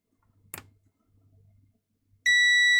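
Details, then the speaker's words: Karcher MV5 window vac, dead after being dropped. Across the motor, the multimeter gives a steady high continuity beep, while the board points test okay. Shorted motor winding suspected. "So I think the problem is this motor. I'm suspecting it's the windings on the motor."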